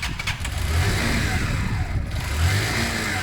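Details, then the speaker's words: Zontes Mantis 125cc motorcycle with fresh oil, running with the fuel tap off: uneven low chuffing idle with irregular stumbles, under a beat a second, as it runs the float bowl dry; sputtering from fuel starvation. "Oh, hang on a minute. Ah, fuel's off. Do you know what though? That's good for cleaning out the last remnants. That's really spitting through the old shit."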